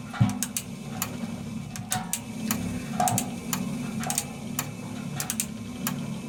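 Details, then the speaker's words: Servis (Eudora) 386 compact 3kg washing machine: sharp dry clicks at irregular intervals over a low motor hum as the mechanical timer cog ratchets normally; on spin it clicks ten times faster. "so that's why um when while it's running you always hears clicking and on spin it clicks 10 times faster because it's clicking it's going because it's going round 10 times"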